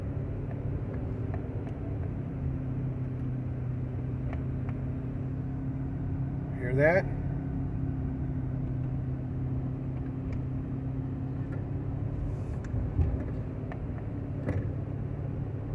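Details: 1995 Honda Accord, about 339,000 miles, cabin while coasting downhill off throttle: steady low growl and hum, no vibration, suspected from the front; no noise when applying gas or climbing.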